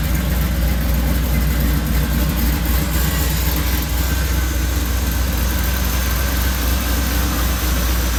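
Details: Supercharged Cutlass V8 started after a cam swap from a flat-tappet hydraulic cam and a reseal: a deep, steady idle with an even lopey pulse around four per second and no knocking or ticking. It runs clean.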